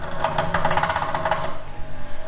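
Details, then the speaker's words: Cheap bench grinder bolted to a solid concrete post: rapid rattling taps as the club hammer chatters against the spinning wheel, then a plain hum; the wheel bounces and needs dressing. "can hear it bouncing off. That one's not too bad, but these These little rests here, they are absolutely useless."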